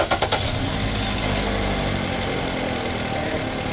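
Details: 2015 Chrysler 200 parked over a year, started after the battery held 13 volts with no draw; it then charges to 14.5 V. A few quick cranking pulses, then a smooth, even idle; normal start. The old battery is suspected bad.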